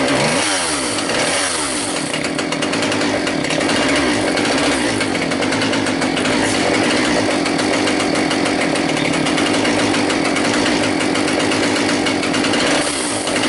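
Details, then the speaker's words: Husqvarna 142 E-series chainsaw, a few years old, started after carburetor cleaning for stale gas and fresh premix, idle adjusted; fires up and settles into a steady high buzzing run with no misses or surging, running normally. "so I had messed around with the idol a bit when when I took the carburetor off but you guys could see it starts"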